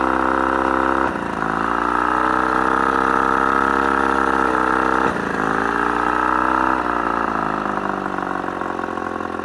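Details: Mercury 35hp two-stroke outboard at mid throttle, otherwise runs great: steady drone drops and coughs at random three times, nearly dying, then recovers; intermittent misfire, cause unknown.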